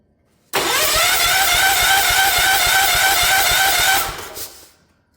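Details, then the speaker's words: Ford LGT145 garden tractor from a parts yard, on old fuel, choked and given ether: steady cranking at about three and a half beats per second, fires a couple of times but won't start; owner suspects a badly leaking or blown head gasket. "Listen to this closely. That sounds like a quite a bad leak on the head gasket to me."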